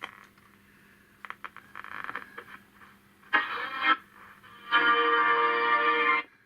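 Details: Perdio Londoner transistor radio, possibly from 1958, first power-up drawing 10 mA: short bursts of station sound, then a steady, clear programme plays loudly. Normal reception.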